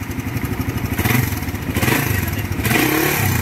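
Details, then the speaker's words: Suzuki Raider 150 single-cylinder returned after refresh for ticking: fast, even ticking over idle and revs persists; cause not yet found, to be rechecked under warranty. "O ito yung tunog ng motor ni boss. Start mo. Ayan mga boss, matiktik talaga."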